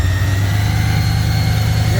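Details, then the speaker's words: 3rd-gen IROC Z28 Camaro with blown 383 stroker, after replacing worn cam and lifters, first run with exhaust smoking: steady, even low rumble, no knocks or misses; closest to idle it has ever been. "That is the closest to idle it has ever been. Good deal. Sounds great."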